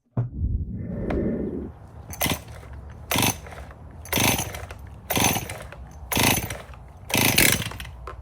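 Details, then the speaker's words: Traded-in Stihl MS261 chainsaw run with fresh fuel, bar and chain removed: a high, screaming two-stroke surges in sharp bursts about once a second instead of settling to idle. It is over-speeding from a suspected crankshaft seal air leak; the fuel line also feels poor. "Well, that thing does run, but it's over speeding, and I'm glad I took the bar and chain off at first. That would have been extremely dangerous."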